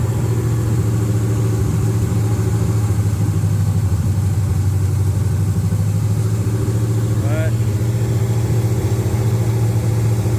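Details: 1979 Camaro LS-swapped V8 after intake replacement (crack found on old intake), before codes were read: low heavy idle with uneven, loping pulse that never smooths out; rough idle, cause not yet pinned down.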